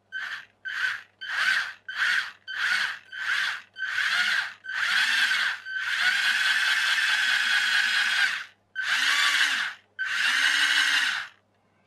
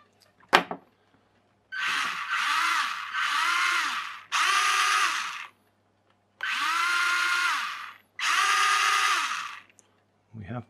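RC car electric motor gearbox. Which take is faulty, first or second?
first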